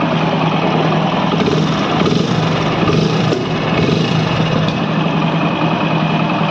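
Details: Hero HF Deluxe single-cylinder after half-engine repair for white smoke and timing setting: steady single-cylinder idle with an even putter and no misfires or rattles; engine running cleanly, normal idle.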